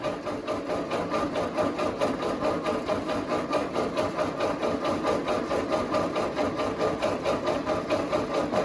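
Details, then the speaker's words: Ford 8N tractor after oil change, cranked with key off in neutral to prime oil; pressure starting to build, about 5 PSI wanted before starting: even starter cranking at two-plus beats per second, no firing; normal cranking. "Make sure your key is off too, and it's in neutral. Starting to build a little bit."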